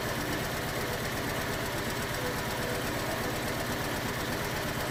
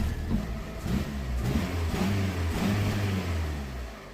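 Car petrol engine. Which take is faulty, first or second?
first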